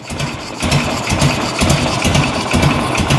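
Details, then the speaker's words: 1986 Harley-Davidson Electra Glide Classic Evo, 23,000 miles, just revived after 10+ years, air breather off: slow, lumpy galloping idle close to stalling; idle speed set too low, hard on base gaskets and bottom end. "Let me get a flat head. You can let it idle this low and gallop, but it's not good on the base gaskets and the bottom end. So I'm going to raise the idle up a little bit."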